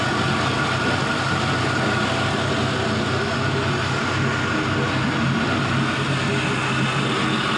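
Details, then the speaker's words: 5.3L Gen 3 LM7 V8 with 180k miles, idling warm at 170°F coolant temperature with no leaks: smooth, even low rumble and steady exhaust beat, no smoke, knocks or ticks; normal warm idle. "see no smoke, just some good noises coming out of there. The exhaust always sounds so good."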